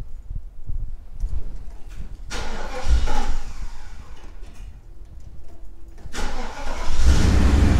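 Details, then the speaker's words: 1990 Mercedes C126 560 SEC, Euro-spec AMG car, after cleaning and freeing a sticking idle part: cranks, catches, and settles into a smooth, even cold idle around 1000 rpm with no hunting, expected to drop when warm. "oh yeah i think that did it idol is nice and smooth let's take a look at a thousand rpm should drop down once the car warms up but yeah it's it's already better fans not running on high speed"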